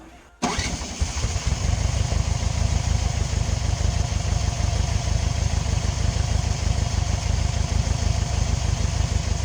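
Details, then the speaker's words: VW Bus (Riviera) with 1600 single-port engine, just fitted with Kadron carbs and tuned for idle, possibly burned-out six-volt starter: fires first try, settles into steady lumpy air-cooled idle, no misses; runs well; slight off-throttle flat spot noted later. "all right well man it runs so good like so good"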